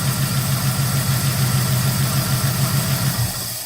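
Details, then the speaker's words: 1971 Oldsmobile 98 V8, just restarted after HEI module replacement: steady, slightly uneven idle with a faint light tick; suspected lifter tick, maybe driver's side or front, not confirmed. "Can you hear that lifter tick? I can. Now it seems like it might be coming from the; uh, driver's side."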